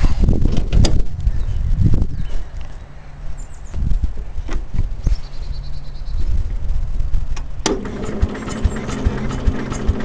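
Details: 1974 Cub Cadet lawn tractor with a 14 horsepower single-cylinder engine, being readied for summer: after some fumbling it catches and settles into a steady, even low thump, running smoothly and healthy.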